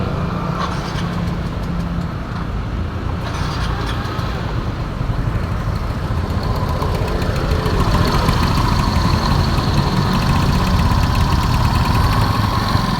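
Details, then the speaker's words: Yamaha Mio Soul GT 125 scooter after replacing cylinder block and piston for heavy oil smoke: idles evenly then rises with throttle, no rattles or knocks, no longer smoking; running smooth. "Oke teman-teman motor pun sudah nyala sudah tidak ngebul lagi dan suaranya pun sudah halus ya teman-teman"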